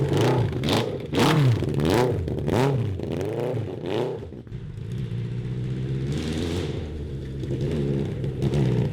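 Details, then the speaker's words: 1982 Honda CB750 engine in a cross kart, carburetors drilled out: repeated revs go ragged and stutter near the top, breaking up between about 4,000 rpm and redline while fine below; suspected lean running, carbs need further clearing. "it's still acting like it's lean it's uh breaking up and everything and all that stuff it's acting just like it's lean"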